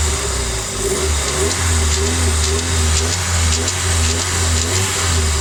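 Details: Newly rebuilt Nissan SR20DET held around 3000 rpm: strong low drone with a faint metallic rattle from the exhaust side, starting at about 3k rpm; owner found no VTC or wastegate play, cause unknown.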